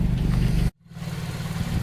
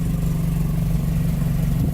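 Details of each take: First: Toyota AE86 4A-GE with new Martelius header, re-done T3 test pipe with new gaskets and Fujitsubo exhaust, at idle: low even burble, steady pulse, no ticking or puffing leak; exhaust sealed and healthy after install. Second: Toyota AE86 4A-GE after Martelius header and Fujitsubo exhaust install, first start at idle: loud raspy puffing from a huge exhaust leak at the front, blamed on a poorly fitted homemade test pipe, to be replaced with a T3 test pipe.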